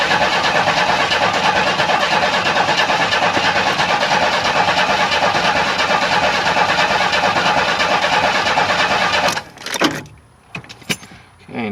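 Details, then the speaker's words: 1994 Chevy Astro van with replacement engine, new starter and a fuel pump installed a year earlier: steady starter cranking at about ninety a minute that never fires; owner unsure if fuel pressure or spark is missing, suspects no spark. "start I don't know if I have no fuel pressure or I have no spark"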